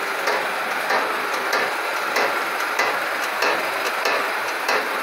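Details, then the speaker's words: Ford Ka making a noise when the brake pedal is pressed: dull knocks about every half second to second with no engine behind them; sounds like the strut tower but traced to a loose brake part needing tightening. "Tô aqui com o Ford Ka ao pisar no freio ele faz esse barulho"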